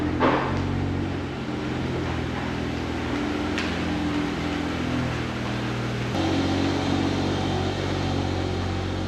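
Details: Warm Triumph Spitfire, just revived after many years and up to temperature: idle wavers unevenly rather than holding a steady beat. Rough idle; the carbs still need setting up.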